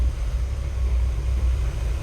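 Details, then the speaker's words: 1951 Chevy after replacing the power steering box and bleeding it with the car off, wheels turned about 30 times: smooth low idle with no pump whine; pump now quiet, earlier noise thought due to blockage in the old box. "it does make absolutely no noise i think there was some sort of blockage in the other steering box because the pump was making noise before but it is not making noise at all now if you fire the car up it's nice and quiet it's got power steering no problems"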